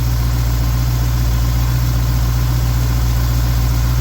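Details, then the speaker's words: Carbureted V8 with freshly rebuilt Holley four-barrel, first start after installation: steady, even low idle rumble with no misses, knocks or hiss; idle speed pretty good, about to be bumped up slightly before mixture adjustment; normal idle. "wow that was easy enough the auto speeds pretty good I'm gonna bump it up a little bit"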